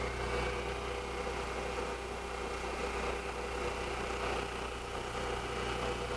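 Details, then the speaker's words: Milling machine with a 3/8 cutter at about 1750 rpm, part locked down, plenty of cutting fluid, removing a lot of material: even, steady cutting hiss with constant tone and no chatter or squeal; normal milling cut. "make sure and have everything locked down nice smooth uniform cut make sure you apply plenty of fluid to it we're removing a lot of material"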